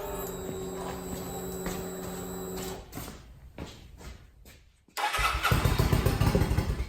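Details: Kawasaki VN900 Vulcan bobber build, first start after refitting tank and reconnecting fuel pump and return line: steady starter whir with even cranking pulses for several seconds, a lull, then a rough burst; engine struggles to fire.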